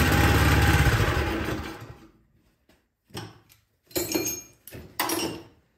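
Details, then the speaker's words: Cub Cadet snowblower with spark present, fired on starting fluid sprayed into the cylinder: catches and runs rough for under two seconds, then dies in weak pops; fuel isn't getting from the carburetor to the cylinder. "all right so we have something from you know getting to the carburetor into the cylinder so let's try to clean this carburetor out"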